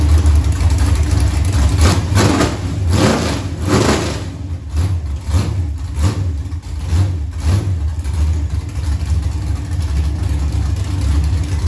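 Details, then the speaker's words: Junkyard LM4 aluminum 5.3 LS on an engine stand, after a Tick Performance Street Heat stage 2 cam swap (229/235, 111+2), run with open headers: deep lumpy loping idle with crisp revs settling cleanly; healthy, mean sound. "but that sounded really really good that sounded mean"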